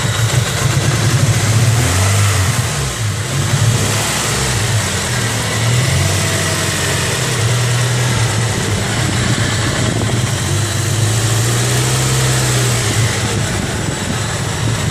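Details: 1994 Honda Prelude with JDM H22A swap and 5-speed, after washing the engine bay with degreaser: petrol engine starting and revving with an uneven stumbling misfire under throttle; cause suspected, not confirmed.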